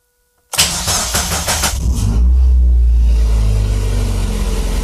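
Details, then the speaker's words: Restored Mazda MX-5 Miata drift car, freshly reinstalled engine, coolant filled and bled with no leaks: starter spins briefly, engine fires at two seconds and settles into a steady even low rumble; healthy start and idle with good throttle response. "bon ben voilà rien à signaler je suis même surpris de la réponse à l'accélérateur"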